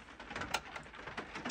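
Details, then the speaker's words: HMV 102D portable gramophone, serviced with a new mainspring, with a 5B reproducer: the auto brake works with an eccentric auto-brake record. A couple of crisp, clean mechanical clicks as the brake latches, with no drag or grinding, show normal auto-brake operation. "operating the auto brake this is an auto brake record with an eccentric on it"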